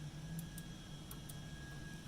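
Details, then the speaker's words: Emblaser 2 laser cutter during full service: crisp, light clicks in quick pairs as each limit switch is pressed and released over a low hum, switches working normally. "these little things here just make sure you can hear a little clicking when you press them"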